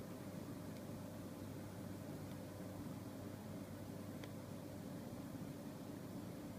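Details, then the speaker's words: New LG 23MP75 monitor on HDMI to a Windows 7 desktop starts popping/clicking after about 7 minutes: faint sharp clicks roughly every two seconds, unevenly spaced, over a quiet steady hiss; cause unknown. "popping sound, clicking sound on my brand new LG monitor."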